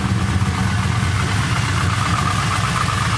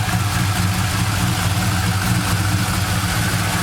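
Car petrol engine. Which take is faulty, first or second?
first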